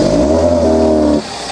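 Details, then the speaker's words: Car engine fine at low revs but when revved climbs to a held droning note then cuts off abruptly as if hitting a wall, won't rev above roughly 2,000 rpm; engine bogs when revved. "yeah it does that sort of M fiery thing and it's definitely definitely not going to rev above that whatever that limit is 3 it's just not getting above it"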